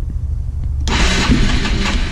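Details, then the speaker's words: 1985 Honda Elite 150 barn-find scooter, 3000 miles, cranked with throttle; the starter spins, then a rough burst of firing as it nearly catches but doesn't settle into a run. "Can't believe it runs. And it dies. It died. So if I let go, that's when it'll die."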